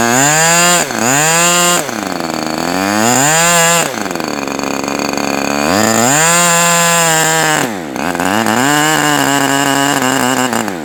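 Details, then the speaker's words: OS Max H60 model engine, first outdoor run, possibly mismatched carb: screams up, bogs and nearly dies repeatedly, won't hold steady; fuel spraying out, owner suspects too rich. "so it's strange I saw a whole bunch of fuel spraying up out of here so it's like it seems like it wants to start running but then it just gets too rich and that might be a factor of"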